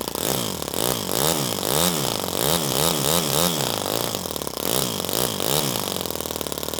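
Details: Toyan FS-S100AC miniature four-stroke kit engine, restarted to film the valves, rocker arms and valve buckets: fast, crisp note rising and falling in even surges with light valve-train chatter on top; running healthy.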